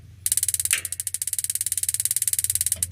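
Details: Modena magnet-type gas water heater: crisp, fast, even igniter ticking at about fifteen snaps a second for over two seconds; the igniter is sparking properly.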